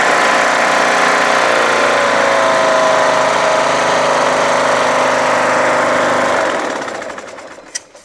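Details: Craftsman LTS1500 lawn tractor with rebuilt 17.5 HP Briggs OHV single-cylinder made from two blown engines, full oil, PTO and deck running: steady even drone, no knock or vibration under deck load, clean wind-down at shutdown; healthy.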